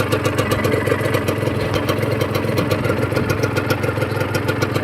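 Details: Honda NSR150RR two-stroke after rebuild of a blown engine (new aftermarket cylinder, seals, some clutch plates, NPro carburettor): steady idle with quick, even crackle, no knocking or rattle, running smooth and healthy.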